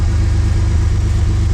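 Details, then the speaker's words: 1979 Pontiac Firebird V6, sitting for years, revived: steady, even low rumble with regular firing pulses and no knocks or misses. It idles smoothly and sounds healthy. "she purrs like a freaking kitten."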